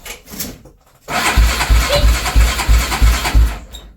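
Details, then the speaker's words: Honda 400EX quad: the engine cranks in steady pulses about three a second and tries to fire with a loose slapping rattle; suspected stretched/worn timing chain or broken chain tensioner, unconfirmed. "But once it does try to fire up, you can hear it slapping around like it's a either worn out timing chain or the timing chain tensioner is broken."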